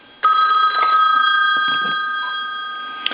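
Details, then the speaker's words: Later-model wood wall telephone after repair, ringer test: bright sustained metallic ringing, sharp start, even fade, clear tones, no buzz; normal bell ringing. "Another thing that I want to do is I want to go ahead and ring this telephone."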